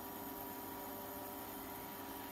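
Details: Ferroli double induction cooktop with tripping breaker and overheating, at power level 9 after fitting a temperature sensor: the cooling fan runs louder than before with a smooth, even whir and no rattle; normal fan running.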